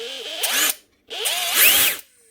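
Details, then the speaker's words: Drill in forward at full speed gives bursts of a very high screaming whine, far too fast, with heat felt at once. It runs at correct speed in reverse. Suspected damaged Hall effect sensor, switch or controller; motor overspeed, unconfirmed. "Holy hell. That is running so fast. How does it even do that?"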